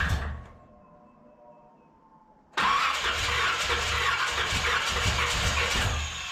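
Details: 1981 Corvette engine freshly reinstalled, timing checked correct, valves open and close (owner assumes none bent): quiet cranking, then loud ragged running with uneven pops, backfiring out the carburetor secondaries; carb soaking wet, owner suspects overfueling despite adjusted floats.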